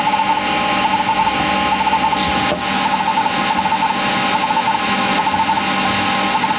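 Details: Seagate 20MB hard drive in a Sanyo MBC-16 Plus copying files: quick bursts of ticking seeks over a steady high platter whine; normal hard drive seek noise from a healthy old drive.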